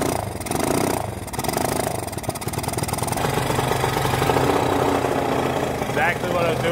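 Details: Honda XL185 that sat in a barn over 20 years, poorly worked on before, good spark, compression and timing: uneven, lumpy idle that stumbles and hunts; runs far too rich, fuel overloaded from the starter circuit.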